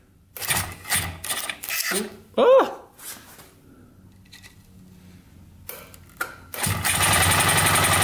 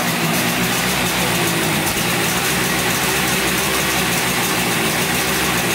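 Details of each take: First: 1971 Yamaha CS200 two-stroke twin, sat over 17 years, starter pressed while holding down a black part so the brush contacts: steady, fast starter whirr; cranks over normally once contact is made. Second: 1971 Yamaha CS200 twin two-stroke, sat over 17 years, recently revived: raspy, uneven idle with lumpy, lopsided beat; owner suspects it runs on one cylinder, one not sparking; later checks showed spark present and 125 psi compression on the left cylinder.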